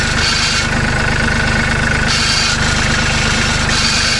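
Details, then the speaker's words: Kubota B2650 compact tractor diesel idling without the clamp fitted, a fast tinny metallic rattle from the muffler guard riding on the engine beat, before the clamp fix. "so I'm gonna go ahead and start the tractor and let you listen to the rattle without the clamp"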